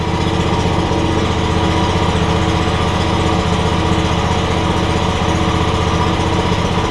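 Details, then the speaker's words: John Deere X300 riding mower single-cylinder engine after carburetor and electronic control module work fixed no spark and running issues: quick, even beat at steady speed with no misses or surges; runs great, normal running. "we're going to make sure that it goes forward and backwards like it's supposed to runs great now though"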